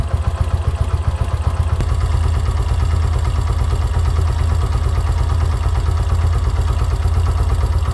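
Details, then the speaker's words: Yamaha YBR125 CV carburetor, idle mixture screw at 3 turns out: slow, uneven single-cylinder thumping at low revs, lazy irregular beats; idle struggling, mixture too far out. "on 3 turns the engine starts to struggles again and engine rpm are low ."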